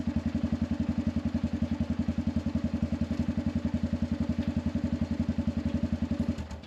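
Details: Arctic Cat 500 ATV outdoors near 0°F, running after a no-crank no-start: even single-cylinder thumping idle about four beats a second, no misses or knocks; runs fine.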